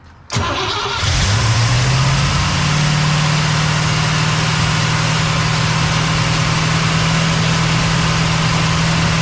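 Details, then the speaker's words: Cadillac "Lil Debby" after fuel system diagnosis, pump now pulling fuel from the tank (possible vapor lock without return line): starter whirs, engine catches and settles to a steady even idle without stumble; much better, return-style filter to be refitted. "So that's much better. I think it'll be even better once we get the return style filter back on here."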